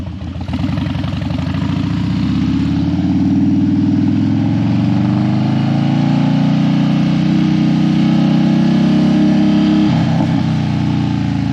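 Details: Harley Dyna that died when hot and wouldn't crank hot, warmed up on a test ride after a suspected battery fix: engine pulls up from idle and settles into an even, steady lope, no stumble or die-off. Healthy running when warm.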